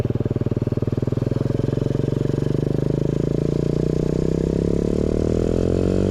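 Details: New 125cc four-speed kick-start engine in a custom Pagsta chopper with a newly made exhaust: small single revs up cleanly, firing beat rising smoothly in pitch with a crisp, even exhaust note; healthy running.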